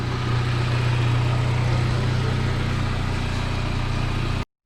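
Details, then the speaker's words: Cobalt SS build with a cheap aftermarket header and downpipe: steady idle with a quick puffing tick about four a second, an exhaust leak the owner blames on the header and downpipe. "i know i do i hear it like james just pointed out i do have an exhaust leak i'll fix that it's probably because of the cheap ass header and down pipe but here she is"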